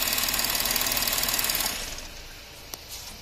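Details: Porsche Cayenne 3.0L TDI after servicing the three injectors on one bank that caused a misfire: even diesel clatter at about four beats a second, steady before fading out, a smooth healthy idle.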